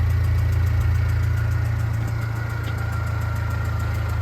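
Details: Ford Fiesta diesel at idle: sharp, regular tick about four times a second over steady idle, faint whine behind, diesel smell in cab and slight smoke; suspected leak at one of the injectors.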